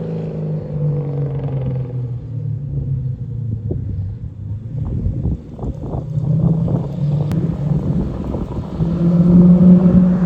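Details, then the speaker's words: Toyota Soarer with 1UZ-FE quad-cam 4-litre V8, after adding an X-pipe and two louvered-core resonators to Black Widow mufflers to cure drone: deep, even burble building smoothly with revs, no booming drone; balanced, healthy exhaust. "This thing sounds tough. Pretty jealous, to be honest, because my little 5-litre Windsors don't sound this good right now."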